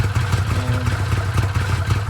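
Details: Arctic Cat Wildcat 1000/X side-by-side after starter gear upgrade and starter boss reinforcement: even, low throbbing idle with steady rhythm, no knocks or grinding; engine settled and running cleanly.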